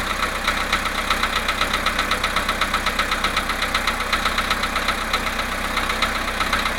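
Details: VW Polo Sedan, 17,937 km, cold start after sitting 19 hours at +1.5 °C: sharp, even ticking about four times a second over a steady cold idle; light engine knock, source not pinned down.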